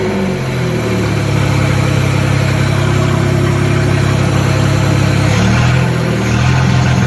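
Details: 1976 Datsun 280z 2+2 pulled from a junkyard and being reassembled, running much better: fairly steady low idle with a slight rise near the end, even with no misfire; normal idle.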